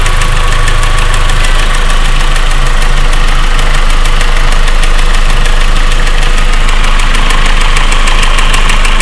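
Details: 1.8T, cold idle: fast, even ticking of nearly four a second, a light valvetrain-type tick that gets quieter after a few minutes and is gone when warm. Source not pinned down.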